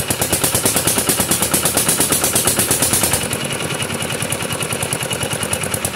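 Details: Kubota RD65DIS single-cylinder diesel, modified with RD85 pusher and non-standard piston, test-run after cylinder head refit and timing set, no exhaust fitted: crisp, sharp open-exhaust bark at a steady fast beat, no misses; clean combustion, running normally.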